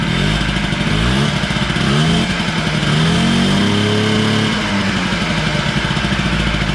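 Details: Honda Spree 50cc two-stroke revving up and down: thin, flat sound as it climbs; runs but lacks power, compression read low, owner unsure if motor is blown.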